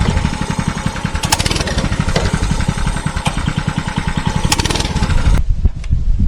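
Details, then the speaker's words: Mini bike with the governor spring removed to cure stalling on throttle: quick, even firing at a steady speed, then it drops off sharply near the end; it runs without stalling, but the carburetor needs replacing. "Fix it pretty well, but the carburetor definitely needs to be replaced eventually."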